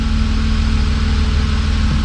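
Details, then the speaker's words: BMW E36 M3 S52 petrol straight-six, first run after over 10 years sitting, codes just cleared, very little fuel: smooth, even idle with a steady low pulse, no misfires heard; secondary air pump whining. "it's running good I'm not listening to any misfires so hopefully those don't come back"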